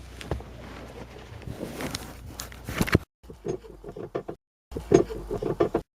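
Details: Vauxhall Corsa with a rattle from the right-hand (driver's side) front wheel over small bumps: irregular tinny knocks and rattles over low road rumble as the car rolls, from a broken front coil spring.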